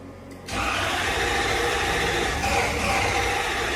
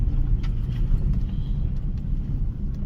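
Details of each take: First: Toyota Soarer SC400 1UZ-FE V8 with new Blueprint distributor caps after most parts were replaced: steady starter churn for ten seconds that never fires; crank no-start, owner suspects the timing is out and plans to check spark. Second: Toyota Soarer SC400 1UZ-FE V8 running after a distributor cap replacement, driving on private land at night: deep, even rumble with no misses, knocks or surging; not overheating, engine warning light out, runs smooth; owner knows a rattle is from a part not refitted.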